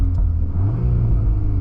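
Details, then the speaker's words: 2023 VW Golf R 20th Anniversary, Stage 1 034 tune, stock valved exhaust in custom loud mode with sound actuator off: short deep exhaust rumble with slight burbles, nothing rattling or hissing, normal but quieter than owner wants. "I'm going to put it on my custom mode cuz that's imp pure which means that there's no sound actor so this is just exhaust"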